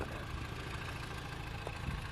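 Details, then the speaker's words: 2007 Honda Civic Hybrid with dual-spark-plug engine, after compression testing and a drive: smooth even low idle with a steady hum and no knocks, misses or ticks; idling normally. "but we are running listen to that thing it sounds like a Honda it sounds like a [ __ ] Honda"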